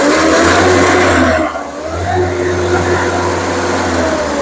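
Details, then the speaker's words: Hyundai 30L-7M forklift with GM 3L engine, running rough at idle and extremely rich with unburned fuel smell, check engine light on: snapped open, revs pick up after a slight delay without bogging down. "so no bogging down on the engine so even on a snap there's a bit of the delay but I don't hear it bogging down"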